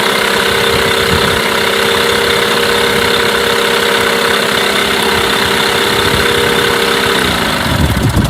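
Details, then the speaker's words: Mercury 8HP outboard, bought used after sitting unknown time, started after a couple of pulls in a water tub after carb cleaner; steady even idle with constant buzzing note, no misses or knocks; running cleanly, normal idle. "wow not bad at all quite impressed to be honest I didn't expect it to [Music] go after a couple of turns so it's looking pretty good so far"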